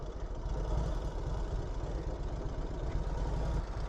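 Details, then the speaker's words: 1948 Indian Chief V-twin motorcycle, about 54–56 horsepower: deep, even low-pitched lope with steady beat and no knocks or rattles; normal idle. "The bike idles perfect. Man, this is a fun riding bike."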